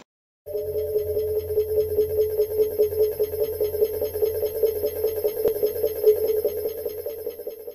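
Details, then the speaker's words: Hyundai Solaris/Kia Rio (1.4/1.6 with air conditioning, G4FC listed), nearly 160,000 km. A steady high whistle over the engine hum appears when accelerating around 1,500–2,000 rpm. Owner suspects a worn tensioner or idler pulley bearing; the accessory belt and pulleys are to be replaced. "вот в момент нажатия на газ где-то полутора тысяч до 2000 происходит свист есть подозрение что это один из подшипников роликов"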